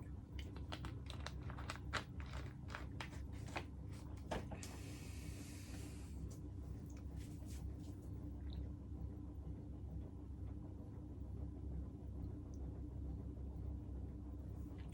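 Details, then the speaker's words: Early-1970s Martec (Wing TAT) 48-inch ceiling fan, dusty and unbalanced after years in a shed: steady low motor hum with scattered ticks and rubbing from a worn bearing; bearing noise and motor hum. "has bearing noise it has motor hum but i actually really like that it gives a lot of character and a lot of history"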